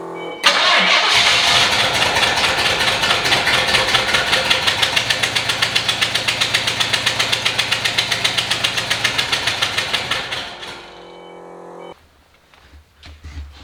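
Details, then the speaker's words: 1993 Fox body V8 that had not run in years, after vacuum lines were replaced and capped: lumpy, uneven running with a steady stumble about four times a second. Misfire, one spark plug wire was disconnected. "Probably help if a uh spark plug was connected."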